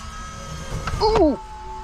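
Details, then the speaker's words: Volvo electro-hydraulic power steering pump fitted to a Mitsubishi Eclipse GSX, first fill with Red Line fluid: the pump spins up with a thin whine sweeping in pitch, then a wavering tone; air was accidentally pumped in and it leaked. "so I accidentally pumped a bit of air into the pump which is why it's a little bit of a mess here"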